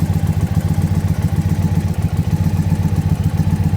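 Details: Warmed-up Indian Pursuit V-twin idling during a throttle body sync check as the vacuum gauge valves are opened: steady, even lope with no knocks, misses or surging; healthy idle.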